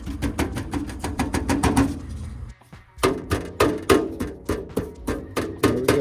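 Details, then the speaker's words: Loose exhaust heat shield on a car gives quick tinny clanks, about three a second, when struck from underneath, rattling against the body. It caused a passenger-side rattle while driving on the highway and was cured by removing and tightening the nuts and flexing the shield. "so it's definitely the heat shield it looks to be intact so I'm going to try to bend it or tweak it so it doesn't rattle but I don't see nothing loose just seems to be rattling against the body"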